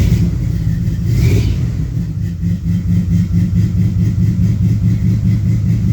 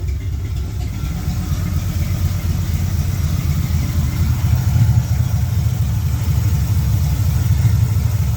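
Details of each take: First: 1972 LeMans with International body swap, cold day about 47°F, warming up at idle: low V8 idle with uneven beat and dipping level; misfire sounds like it might be worse now; cause not confirmed. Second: 1972 Pontiac LeMans with a carburetor and electronic choke on a cold day, after turning up the idle screw and timing suspected too advanced: steady even low rumble with a smooth idle and no stumble; normal idle.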